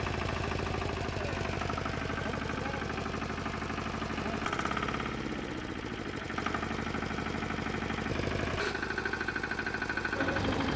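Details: Antor 510 single-cylinder diesel tiller after a clutch repair for a broken release bearing: steady low normal idle, about three beats a second, with the idle just adjusted.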